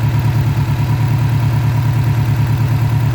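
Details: 2006 Subaru STi: heavy lumpy idle with deep uneven throb about three beats a second, engine shaking; mechanic suspects failed turbo, not head gasket.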